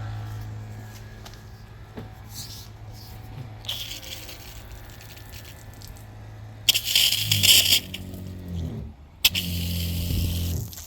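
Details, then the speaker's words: Newly installed battery-powered SEAFLO water pump, first test. After a quiet stretch, two short humming runs with splashy hiss as the pump pushes air out and primes to full water pressure; the pressure switch then works. "that was the pump getting air out, getting full flow on water pressure, and now you can hear the pressure switch is working."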